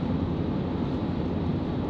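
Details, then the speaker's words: 1994 Chevrolet Silverado 1500 extended cab 4x4, 5.7 L V8, automatic with overdrive, cruising just under 50 mph on a cool winter day, temp gauge just coming off cold, oil pressure a little over 40: steady even low drone over road noise, no knocks or whine; normal. "Nice smooth running truck. The oil pressure a little over 40 as we're cruising along."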